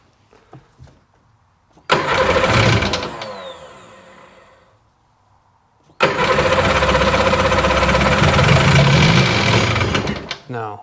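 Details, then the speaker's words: 2001 Sea-Doo GTX RFI 787 fuel-injected two-stroke, a hard starter reportedly with water in a cylinder, after the throttle idle stop is set: catches, sags away, then restarts to a slow, labouring idle; idle speed far too low. "it's way low. Way low."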